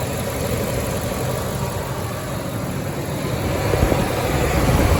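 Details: 1998 Ford F-150 4.6 Triton V8 idling with a steady, even low rumble, no stumble, after a cylinder 8 misfire was fixed with new spark plugs, plug wires, both coil packs and both EVAP canisters; runs like new.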